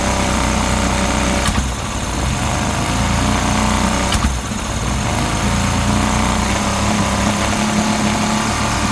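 Buzzy outboard running with an irregular, stumbling beat and a few sharp pops instead of an even drone; it is misfiring.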